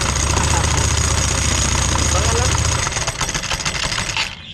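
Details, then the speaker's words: Italika motorcycle (WS per tags) CVT clutch spinning badly crooked when started with cover off, owner first suspected rod knock; loud harsh clatter over engine with uneven beat about four times a second, CVT clutch wobbling from a broken clutch spring. "Entonces vamos a quitar esta, apágala, vamos a quitar esto y revisar qué fue lo que pasó ahí, porque está girando así de chueca, está girando muy muy chueca."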